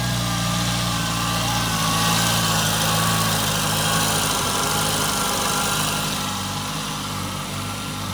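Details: Nissan Altima steady, even idle with smooth low hum and no ticking or puffing from the exhaust manifold; engine sounds settled.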